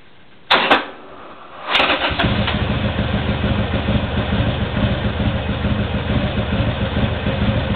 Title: demarrage difficile Harley sporster 1200c